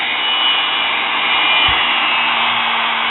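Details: Sewing machine motor after its brushes were cleaned and fixed, running steadily: constant high-pitched whir with no rattles or surging. After running a while the brushes seated better and sparked less; small sparks are normal. Motor running normally.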